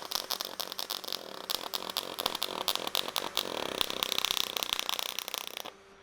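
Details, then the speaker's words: HTP Pro Pulse 220 MTS pulse MIG on 16-gauge steel valance, turned down lower: fast, even crackling buzz with sharp rapid ticks, real pulse punching heat in without blowing through thin metal. Normal pulse arc. "So you'll hear that as we get away from that kind of wet fart sound, you actually get into real pulse, and that pulse is punching that heat in there but not all the time, so we don't blow through the metal,"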